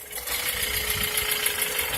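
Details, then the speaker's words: G23 VTEC engine just started cold, warming up: fast light sewing-machine-like ticking clatter, sharpest as idle drops, that goes away once warm; valves need adjustment. "I need to do a valve adjustment on it it's got a little bit of lift or clatter there especially when it idles down definitely hear that"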